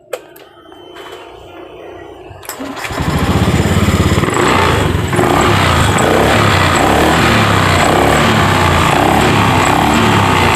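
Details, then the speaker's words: Honda Beat scooter that would not start by starter or kick, fixed after finding weak battery, jumpering faulty brake switch and repairing broken CKP wire, TPS not replaced: short starter whirr, catches immediately, steady even idle without misses. "Jadi kesimpulan motor ini sudah hidup ya, sudah di engkol sudah bisa, terus di starter juga sudah bisa tanpa mengganti TPS."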